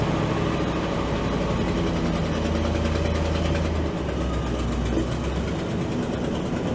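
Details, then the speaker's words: Old auction crane truck with a worn petrol engine: idling fairly evenly with a steady low rumble and no knocks; running better than it has in years; normal idle. "Actually, for this thing, that sounds pretty good what we got going right now."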